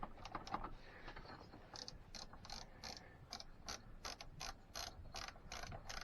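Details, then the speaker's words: 2006 Keeway F-ACT 50 two-stroke scooter, spark confirmed: quiet ratchety spinning in quick uneven bursts with no firing; debris from the tank got into the carburetor, which needs cleaning; crank, no start from fuel starvation. "it smells nasty all that crap that was up inside that tank is now in that carb so now i have to clean that carb that sucks"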